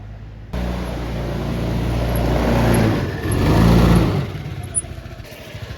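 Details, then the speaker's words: 1987 Honda Helix moped, now running after swapped carburetor antifreeze and vent lines were corrected and the clutch rollers refitted: small engine idles and revs smoothly, no stumble or slipping; runs much better now. "yeah it runs a lot better now"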